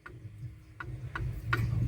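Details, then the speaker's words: 1965 Chevy truck horn relay after steering wheel restoration and horn contact cleaning, horn disconnected: five crisp clicks under half a second apart as the relay pulls in cleanly with each press. "yep I can hear the relay I don't have it connected but I can hear the relay clicking"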